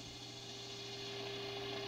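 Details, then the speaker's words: RCA Victor 9-X-571 tube radio during alignment: a steady mid-pitched tone over light hiss shifts as the oscillator coil is tuned for the deepest tone, going off frequency when passed; tracking being adjusted. "so I'm looking for the deepest tone so I don't know if you can hear this see how it's going off frequency"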